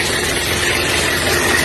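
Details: Diesel engine started before teardown, already hard to turn; loud harsh roar full of hissing, no clean firing beat: severe blow-by, worn liner seized, so liner and piston rings were replaced.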